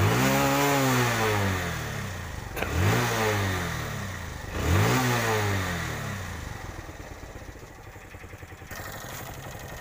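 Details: TVS Star City 110cc bike that used to pop and misfire from the exhaust when the throttle was released: three clean blips rise and fall back to a settled idle with no pops or bangs.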